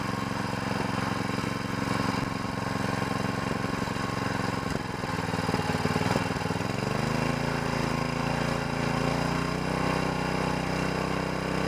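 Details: Small single-cylinder mud motor (SPS Longtail) in break-in on 10W30 oil, RPM varied below max throttle. Runs evenly, then settles into a smooth steady hum as speed eases off; healthy normal break-in.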